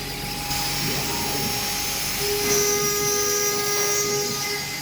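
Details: Arwing v4.5 CNC router at maximum spindle speed cutting 3 mm ACP panel after cycle start: steady high spindle whine at even pitch while the cutter hisses through the panel with no chatter; cutting normally.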